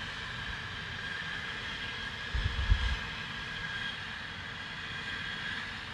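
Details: Distant loud steady hiss and roar with faint high whistle; Spooner Industries, Ilkley, 6 April 2021, 8.45am, recorded within a neighbouring property boundary, audible over 100m away; continuous venting, source unknown.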